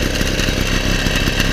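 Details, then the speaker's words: 1977 Motobécane M7 moped after full overhaul, first start with choke, at idle: steady crackly two-stroke idle, even; a tapping came from the frame knocking against the engine, silenced by pressing a screwdriver; runs well. "Voilà, on a plus le bruit les amis. Donc elle tourne très bien, il n'y a pas de souci."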